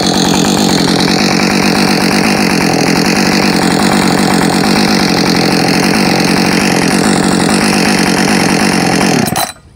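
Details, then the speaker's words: Husqvarna 562XP Mark II chainsaw on first run, cutting: strong steady high-revving snarl holds pitch through the cut without bogging or surging; found its tune quickly, running healthy under load. "so it seemed to find its tune really quickly um not that the Mark 1 was bad it really wasn't at all"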